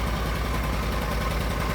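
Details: Argo ATV after winter-storage no-start repairs (upgraded carburetor), running with no jumper wires after the fuses were replaced: low, even idle with a steady firing beat and no misses or knocks. Normal idle.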